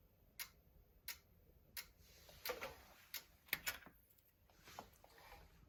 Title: Clicking sound in sleep mode